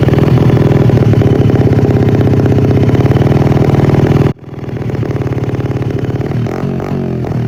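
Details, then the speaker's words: 1978 Honda XR75 first running after sitting unrun since the late 1990s, with a very dirty carburettor: loud, raspy exhaust with uneven popping pulses, cutting out abruptly then picking up unsteadily; rough running, smoothed later by carb tuning. "I'm no pro at it's pretty rough and it's pretty loud."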